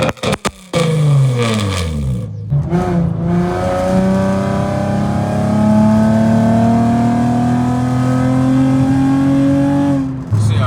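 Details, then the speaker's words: Infiniti G35 coupe, VQ35DE V6, driving after an exhaust leak was dealt with: strong revs climbing and dropping through downshifts with a clean deep note, no ticking or puffing; exhaust sealed. "so my exhaust has not sounded this good in a long time so I'm going to just get some POV driving for y'all so y'all can hear the exhaust real"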